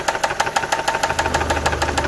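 Sharp, regular metallic knock, roughly six or seven a second, hammering over a quiet idle; a deep bottom-end knock. Cause suspected, not confirmed.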